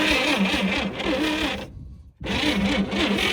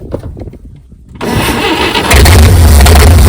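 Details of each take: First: 1959 GMC 100 truck after 30+ years in a field; starter cranks sluggishly and unevenly with a brief dead pause, not catching, even on 12 volts; wires arcing, owner suspects main power feed shorting out. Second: 1959 GMC 100 truck after 30+ years in a field, after cleaning and setting the idle mixture screw to one and a half turns out; starter cranks, engine catches and settles into a steady, even idle with no misses.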